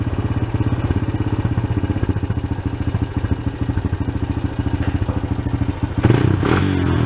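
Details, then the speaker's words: Honda Sport Trac ATV single-cylinder after carb cleaning and cracked case repair, idle adjusted: uneven idle about three beats a second, hunting and fluttering before a throttle blip, slow off idle; owner suspects slightly lean, not sure. "It's a little slow coming off the idle there, which I think is a little on the lean side. I'm not positive of that, though. You can kind of hear how it's dancing around and fluttering still."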